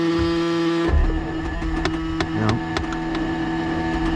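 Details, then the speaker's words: Cabover truck on a 46-degree morning, batteries believed fine: several sharp clicks over a steady electrical drone, engine never cranks; owner suspects the starter is going bad. "Hear that? Click, click, click. So I do believe that starter's going bad."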